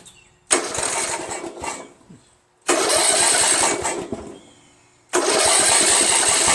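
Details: Poulan 16.5 HP lawn tractor engine, pieced-together rebuild: fires, runs a second or two, fades and quits, repeating twice more; rough running and stalling, cause unconfirmed.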